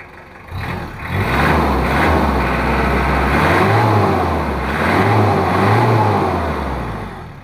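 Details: Mitsubishi Kuda diesel after injection pump setting and timing correction: smooth climb through two free revs settling back cleanly; normal revving, smoke no longer thick black.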